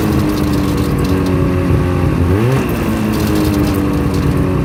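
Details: Clicking noise from a 2009 Ski-Doo MXZ 500 SS two-stroke snowmobile engine revving and settling; a faint light ticking rides over the exhaust note, source unclear.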